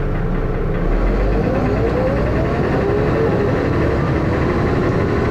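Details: First Manchester Dennis Arrow bus 31923, recorded onboard with a phone: heavy diesel thrash inside the bus with a deep, rough knock running under it; engine knocking, cause unknown.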